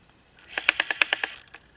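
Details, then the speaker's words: Japan-only MiniDisc player with cleaned battery contacts: a quick run of about seven light, sharp ticks, roughly nine per second, while reading a disc, yet tracks play fine; the cause is unknown. "so now as i go through the tracks it didn't do it on that track so sometimes it sounds like it's getting stuck but it's actually reading the track fine"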